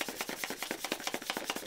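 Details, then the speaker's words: Cheap Captain America-branded massage gun with a 2000 mAh battery and 20 levels: rapid clattery tapping about eight hits a second, with the loose, cheap plastic body rattling and shaking all over as it runs. "that's not a good sign it's shaking all over the place"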